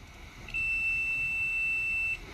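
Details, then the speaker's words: Yamaha XJ600 motorcycle no-start diagnosis, multimeter on ohms with audible beep across red and brown ignition switch wires, switch on: one steady high beep about a second and a half; continuity present, ignition switch good. "So we now know we have power or continuity between the red and the brown wire when the switch is in the on position."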